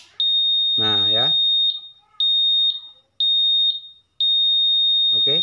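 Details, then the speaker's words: Honda Vario 150 smart key: loud high-pitched beep repeating about once a second after switch-on. Immobilizer alarm because the new ECU is not yet paired with the key; ECU reset needed. "Contohkan pasti teriak-teriak bentar ya Ini karena kan belum terdaftar"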